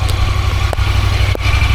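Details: 2024 Honda Pioneer 1000-5 idling after first service with fresh oil and filter, six quarts: even steady low putter with no knocks, misses or rattles; engine running smoothly and healthy.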